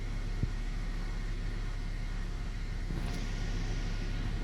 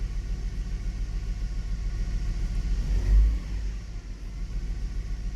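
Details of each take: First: Hummer H3 3.5L at warm idle, around 600–700 rpm, throttle body and MAP sensor cleaned yearly; quiet even low rumble settling with no stumbles or knocks: normal idle. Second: Hummer H3 idling with one ignition coil unplugged to simulate a dead coil: low, uneven, lumpy rumble with rattling, more engine vibration and a weird drop when accelerating, a cylinder misfire.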